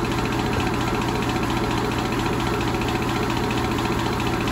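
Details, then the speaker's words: York AC condenser fan motor, loose mounting screws tightened without cure, up-and-down shaft play; constant droning hum with rough gritty rumble; worn motor bearing suspected, motor replaced. "it thinks the bearing's going out I wonder if it squeals come back"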